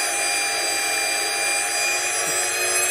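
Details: Porsche 924S EV conversion, electric motor run up to roughly 6,000–8,000 rpm without axles, first time this high: smooth steady high whine, no rattle; only very slight vibration, not the earlier transmission rattle noise.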